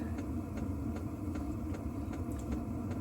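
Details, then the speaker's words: Diesel heater running inside a warm pop-up tent on a snowy overnight trip: a crisp tick about 2.5 times a second over a low steady rumble, the normal dosing-pump ticking. "know you can hear the tick, tick, tick. Really warm in here, actually."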